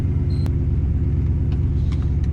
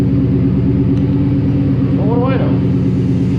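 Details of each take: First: 1966 Buick Skylark with 6-liter LS engine after upgrading to a bolt-in Ford 9-inch rear with limited slip and 3.25 gears: deep even driveline rumble under way with no whine, clunk or grinding, rear end healthy. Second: 1966 Buick Skylark with 6-liter LS engine, in gear at about 12 mph on the display with a wheel blocked: deep, uneven growling grind over the engine; broken spider gear in the rear differential.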